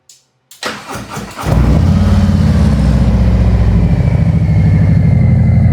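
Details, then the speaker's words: 2025 Harley-Davidson Road Glide 117 Gen 2, 802 miles, stock engine before the Stage 2 cam and tune, with Khrome Werks slip-on mufflers: starter whirs, catches, and settles into a deep, even, loping rumble with no knocks or misses; smooth tone. "Real nice smooth tone. These ProWorks mufflers are growing on me."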